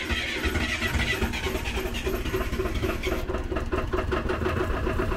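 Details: Diesel 24-volt generator in freezing weather, started with two 12-volt jump packs after the battery died: it catches and settles into a steady, even clatter at constant speed with no misfire. It is running normally.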